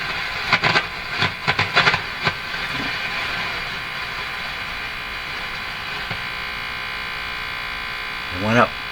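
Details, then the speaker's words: Silvertone 101-583-2 multiband tube radio during field coil heat test: steady mains hum with irregular crackling pops for a couple of seconds, then quiet; a reading jumped, source unknown. Crackling noise. "I don't like that sound I don't like those sounds I don't know what they are"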